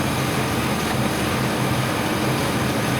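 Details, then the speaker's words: 1999 Chevrolet S10 4.3 L V6 with distributor, after unplugging and replugging the connection that wasn't working: even, steady idle with a low smooth hum, no stumble; misfire gone, all cylinders firing. "this one over here I don't know you see my hand that's the one that wasn't working now check this out smooth unplug plug back in done boom that's simple"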